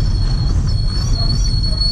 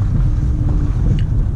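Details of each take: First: Chevrolet Lacetti automatic moving off slowly: sharp steady high whistle over low rolling rumble, changing with speed, after brake pads and discs were replaced; stone trapped between brake disc and dust shield. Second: Chevrolet Lacetti automatic on a test drive after a lodged stone was pried out with a screwdriver: steady low road rumble, the severe whistle/squeal gone.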